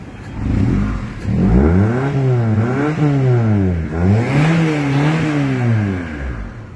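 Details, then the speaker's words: Honda Civic EF with refitted D17A VTEC engine, idle set too low (under 500 rpm): blips up and settles back smoothly twice, pitch following throttle cleanly, no knocking or rod noise, no white smoke; healthy free rev. "เสียงไม่มีลูกเขตก้านชาร์ฟดังอะไรไม่มีนะครับปกติเลยคันนี้ควันขาวก็ไม่มีนะครับ"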